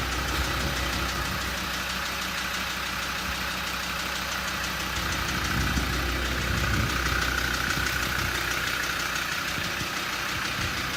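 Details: Land Rover Td5 diesel engine: steady idle with a hard clacking rattle about three times a second riding over it, cause not yet pinned down; engine clattering rattle.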